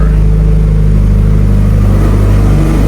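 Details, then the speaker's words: Mitsubishi Evo with internal wastegate, after reconnecting a component that had caused no-start cranking: engine fires on the first crank and settles into a steady, even, deep idle with no misses; fuel pressure and AFR good. "That's the first try. Tell me that don't that don't sound good. >> No, that sounds good."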